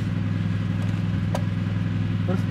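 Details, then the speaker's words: Yamaha Mio automatic scooter with first-pull growling, restarted after CVT reassembly with fresh grease: steady low drone with no growl or grinding, now fairly smooth idle, though a pulley component still needs replacing. "Coba kita nyalakan lagi. Sudah lumayan halus."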